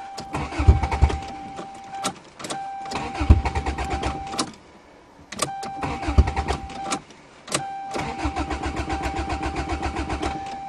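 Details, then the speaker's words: Toyota GTS cold start in December snow: starter spins the engine in repeated even bursts but it never fires; owner suspects missing exhaust/back pressure makes it hard to start cold, not confirmed. "Cars with no back pressure and no exhaust are always hard to start in the cold. Oh, I don't believe it. This is going to be two Toyotas that don't work?"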